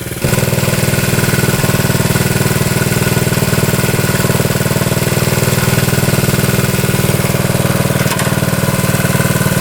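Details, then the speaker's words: 1972 Honda CT70 single-cylinder, all-original auction bike being revived after a bogging issue, running well with no smoke, headlight on; even, quick thumping, no stumbles or knocks; healthy normal idle. "Running pretty good now. No smoking. Turn our headlight on."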